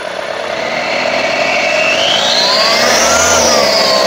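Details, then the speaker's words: Mahindra Bolero pickup BS6 diesel revved with the turbo intake pipe open, rising whistle and gritty whoosh; turbo fan wheel is loose with a broken blade, oil leaking from the turbo pipe; failed turbo causes bad sound and white smoke; turbo set needs changing. "और turbo जाने से दो तीन बीमारी आता है, एक तो साउंड ख़राब होता है और दूसरा पीछे से पूरा व्हाइट स्मोक मारता है।"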